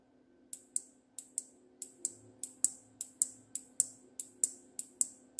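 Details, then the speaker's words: Electromagnet coil mechanism on DC supply: crisp, dry clicks about sixteen times in five seconds as the armature pulls in when power is applied and releases when removed. Normal relay clicking. "जब मैं लगाता हूँ चिपका लेता है, हटा देता हूँ छोड़ देता है। आवाज़ सुन पा रहे होंगे आप,"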